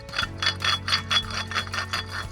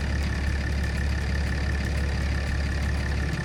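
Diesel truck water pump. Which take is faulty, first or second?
first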